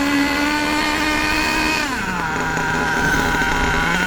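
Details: HPI Savage nitro RC monster truck engine, warmed up, high-speed needle too rich: high buzzy note that sags and drops in pitch instead of picking up, with lots of smoke. Rich running, needing the high-speed needle turned in about 1/8 turn.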